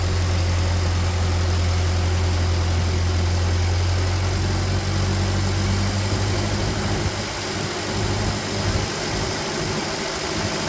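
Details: Free old Ford tractor rained on for years, first start after sitting: low, steady idle with an even rumble that holds without stumbling, then softens slightly; water dripping from exhaust; sounds healthy.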